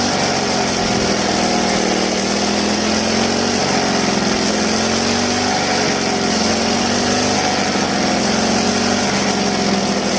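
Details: Two-stroke grass trimmer run until the tank was empty, refilled, on a cold day: a high buzz with a slightly wavering pitch as the throttle is worked to clear air from the fuel line and restore normal flow.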